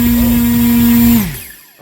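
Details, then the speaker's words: Tenshock 1515-15T motor with 5:1 gearbox for F5J, bench thrust test with same battery and ESC on a 15.8 folding prop: clean steady whine at constant pitch, then smooth wind-down, no squeal or grind; about 41 amps, watts notably low. "Oh, that sounded delightful, actually. Oh my God! All right. Oh wow! And the watts went way low."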